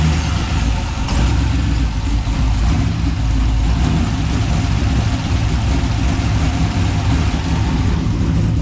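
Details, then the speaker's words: 6.0 LS V8 freshly installed, first runs on a base tune: heavy, lumpy, uneven running that never settles into a clean beat; spark plugs were pulled and found badly fouled. "now I just pulled the plugs on them and they were fou pretty pretty bad but I mean it's running pretty terrible right now"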